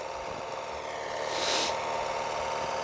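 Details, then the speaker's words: HR 194 mower after engine reassembly, started on choke: steady smooth drone with no knocks, rattles or vibration, noise flawless; engine running healthy, idle decent but could be raised slightly, transmission being checked. "y a pas de vibration le bruit il est imp PEC"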